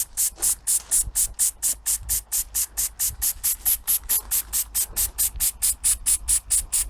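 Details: Inherited antique model steam engine, cleaned and run for the first time in many years, fired with fire lighters and started from cold water. It gives crisp, even chuffs of hissing steam a little over two per second, running steadily and properly.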